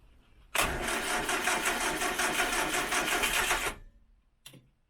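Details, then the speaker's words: 1968 Morris Minor 1000, first cold startup of 2023 after sitting, cranked with choke: about three seconds of sluggish cranking at roughly three turns a second, no firing; both batteries low, slow cranking from weak battery. "please so apparently both that battery and that battery seems a bit low let's just give it a second maybe a little bit more joke"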